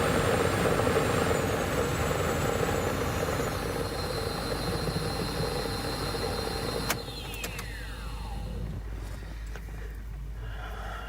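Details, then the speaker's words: 2011 Acura RDX blower motor: thin steady whine over the fan's rush, dropping in pitch as the fan slows; likely the blower motor front bearing clogged with brush dust, motor to be replaced. "blower motor for a 2011 Acura RDX so that fan doesn't sound right and that couldn't find it anything on YouTube how to replace it"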